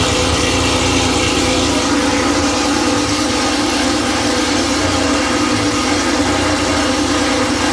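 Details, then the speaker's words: Freshly rebuilt Porsche 911 3.0SC air-cooled flat-six built to 3.2 specs, run on a test stand completely cold after sitting overnight (26°), CDI squealing: settles into a steady, even idle with busy mechanical clatter, no misses or knocks; sounds healthy. "o this is completely cold. It's been sitting overnight."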